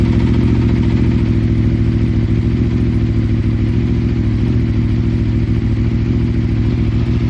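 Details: Aprilia RSV4 RF started for off-season maintenance: steady idle with a quick even mechanical clatter about three beats a second; abnormal internal engine noise, cause unknown.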